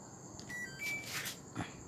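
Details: Samsung 11kg top-load washer WA13WP, formerly showing IE water-system error, after the chewed wiring was spliced and taped: brief high beep as start is pressed, no error tone afterward. Normal start beep.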